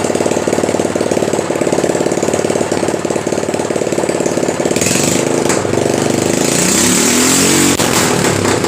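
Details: Normal running of a rebuilt Predator small engine on its first start after the rebuild, with the fuel bowl filled, before a one-hour break-in idle: a loud, steady run with an even, fast firing beat that holds smooth and strong.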